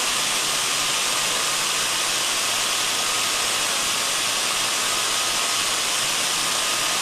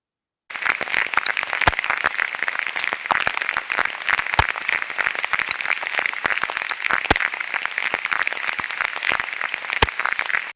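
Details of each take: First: Ultrasound recording taken on the body of a reduction gearbox: even, steady hiss, smooth and uniform, no knocks, crackles or surges; healthy, normal gearbox running. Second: Ultrasound on a deteriorating slow-speed bearing: coarse hiss broken by irregular repetitive impacts, cracks and crackling pops, clearly different from a good slow bearing's smooth white noise; bearing condition deteriorating.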